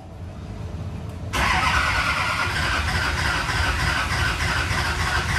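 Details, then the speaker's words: Newly built SoCal Diesel twin-turbo 1,000hp Duramax diesel at first fire-up: starter grinds about three turns a second, trying to catch but not firing on its own; owner suspects air in it; cause unconfirmed. "not quite firing yet I'm not sure why I think she's just full of air we shall see momentarily"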